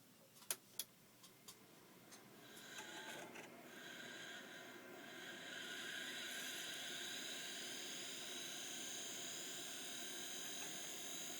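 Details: Failing hard drive with stuck heads, beeping rather than clicking: a few sharp clicks, then a rising hissy high whine settling into a steady shrill drone from noisy, worn bearings.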